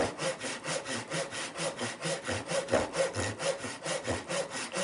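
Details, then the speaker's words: Irwin tenon saw before sharpening, sawing oak and started with a pull stroke: uneven rasping strokes about two per second, chattering as the dull saw skips and jumps, cutting very slowly and drifting off square. "I can definitely hear it and feel it. It's just skipping and jumping like there's no tomorrow. And you can probably see the speed that it cut at. It's just it's very slow."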